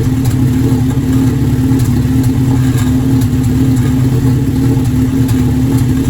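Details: Formula Enterprise engine starting after an intake manifold gasket was installed: low uneven idle with an irregular stumble about every second. Engine misfire.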